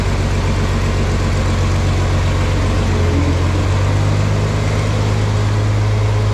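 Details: Farmall 460 tractor after upgrade to electronic ignition: low, steady drone holding an even pitch with no misses or knocks; smooth, healthy idle.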